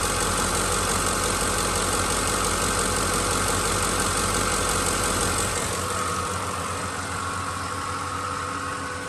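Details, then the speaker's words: 2006 Ford F-150 5.4L 3-valve, 151,000 miles, timing never done, steady idle with fast, fairly even light tick about three per second; owner thinks just injectors, neighbor suspects more (phaser or timing chain guide questioned); unconfirmed engine ticking at idle. "Is this just injectors, or is there something more to it? I felt like it was nothing, just injectors."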